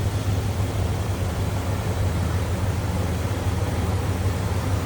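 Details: 2001 Dodge Ram 1500 SLT 4x4, 5.9L V8 with K&N-style cold air intake, about 21,777 miles, heard with hood open: steady, deep V8 burble at idle, even firing, no knocks or ticks; healthy normal idle.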